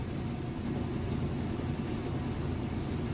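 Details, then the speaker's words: Whirlpool washer in like-new condition, normal cycle, final spin with a heavy load of jeans and towels: steady even low rumble, no knocking or banging, drum spinning very fast and balanced; normal spin cycle. "Okay, and we're back. Final spin cycle. Spinning very fast."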